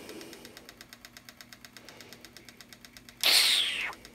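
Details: Mac Pro bought cheap as supposedly dead, still noisy after cleaning: steady light ticking about six times a second over faint hum, cut by a short loud hiss; fan knocking as it spins, cause unclear, blades later taped temporarily.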